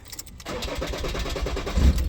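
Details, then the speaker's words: 2013 Ford Ranger / Mazda BT-50 3.2 L five-cylinder Puma diesel, crank-no-start: starter churns in quick even pulses, engine briefly catches then dies. 5 V cam sensor feed present but no cam sensor signal while cranking; sensor sits under the fuel rail pressure sensor. "so basically I'm looking at the cam sensor signal I got a 5V cam sensor feed and I'll go to crank it there's no signal from the cam sensor"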